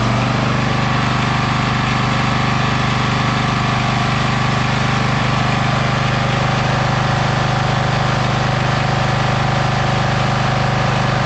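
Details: Bolens FS-11 articulating tractor's small petrol engine after a wiring repair (broken wires spliced, kill switch wired to coil ground, battery 12.8 V) runs steady and even with a smooth low beat, no misses or knocks; normal running.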